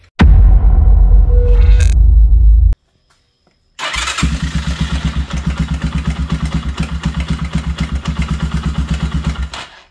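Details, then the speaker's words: Honda CB250 single, cold start only: harsh drag-like, hammer-like top-end knock about three times a second that clears once the engine warms up; loose cam chain guides and worn camshaft bearings. "tengo una motocicleta con un sonido muy extraño como un sonido arrastre un sonido feo a la hora de prender esto pasa solo cuando está fría"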